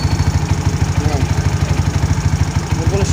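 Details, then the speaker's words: Yamaha Mio scooter with hard starting, carburetor mixture screw found far too lean: even low putter holding a steady idle with no dips or stalling; normal idle after mixture fix. "Okay na siya mga ka- sa kalahati ayan hindi na siya namamatay doun sa kalahati kasi Lean na lean kanina kaya ayaw mag-start"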